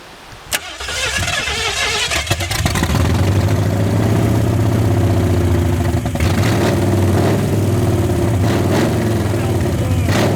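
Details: 1981 Ford Mustang 302 V8, automatic, open headers, 14-year-old oil, about 50 psi oil pressure, no radiator, parked for years: catches after a brief crank into a loud idle with light quick lifter ticking. Owner suspects unpressurized lifters; a flat cam spot is possible but doubted.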